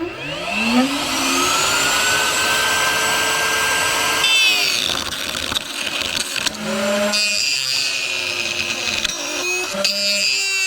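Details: New router on its highest speed setting, used cutting thick wood: whine climbs to full speed, then wavers and rattles with dropouts and a rough buzz, a noise it did not make at first; loose collet.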